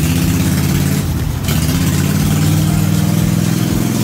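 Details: Cub Cadet RZT-50 zero-turn mower engine after crankshaft seal replacement and a new carburetor: small engine idling smoothly with a steady low drone, a brief dip then an even pickup, running normally.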